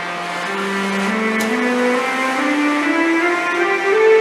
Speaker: all of the comments mentioning the SE in starus I know nothing about this but it makes a musical scale apparently so here's a video I found